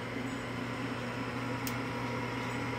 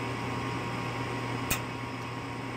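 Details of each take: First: Evcon Coleman furnace after replacing the failed gas valve that caused lockout on retries, firing up: steady even low hum, smooth drone, no knocking or scraping; inducer fan running normally before igniter and ignition. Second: Evcon Coleman furnace calling for heat with 24 V measured at the gas valve and the flame sensor cleaned: a sharp ignition click over steady blower hum but no gas lighting, retrying before lockout; failed gas valve.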